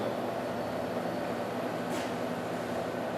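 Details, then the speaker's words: CannabisSFE 1x1L CO2 extraction system, valve turned from off to pump, filling extraction and color remediation vessels through pre-chiller, pump and pre-heater; steady even rushing drone with no surging or stalling, pump charging normally. "so we turn the valve from the off position to the pump and you can hear this charging up"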